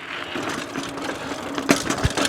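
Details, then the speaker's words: Trek Marlin 6 mountain bike riding over rough trail: irregular hollow, tinny "tin can" clatter from the internal cables slapping loose inside the frame. "because for some reason these cables are loud inside the frame. So when you riding over chunky sections or riding down the trail, sometimes you'll hear this loud tin can sound, I guess you could call it."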